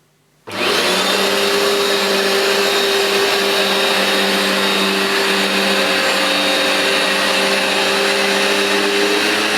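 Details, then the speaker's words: New replacement Vax Dual Power Total Home carpet washer cleaning a very dirty new rug, producing lots of foam: steady high suction-motor whine plus even sweeping swish of the dual brush bars grooming the pile, no grinding or rattle; normal running. "you can hear the noise it makes in addition to the sound of the suction motor the noise of the brushes really grooming the pile and getting deep down"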